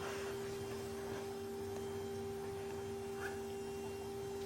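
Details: Steady, even electric hum at one pitch with no surging or rattle: the fuel pump runs normally, key-on in 30-second bursts, draining long-stored, paint-stripper-smelling stale fuel from the car's tank into a jug.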